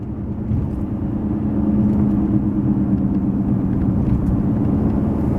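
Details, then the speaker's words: Cadillac CTS at about 55 mph, noise loudest at 45–50 mph: steady low droning hum under road rumble, like downshifting with exhaust; suspected rear wheel bearing but it is tire roar. "you guys hear that right there that wall it's the loudest between 45 and 50 miles an hour right there where it almost is it's sounding like I'm downshifting and I have exhaust"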